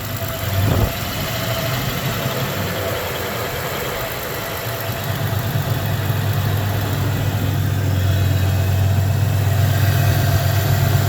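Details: 1993 Ford Ranger 3.0 V6 at idle: a lumpy, uneven idle with an irregular stumble in the firing beat, as one cylinder misfires. The owner suspects cylinder 3; unconfirmed.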